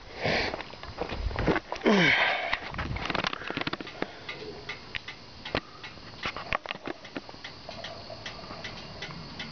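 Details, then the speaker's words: 1950 Ford F1 pickup: sharp, irregular metallic ticks from the hot exhaust expanding behind the passenger side of the cab, which is normal. "hear that ticking from the exhaust expansion of the metal back of the passenger side cab."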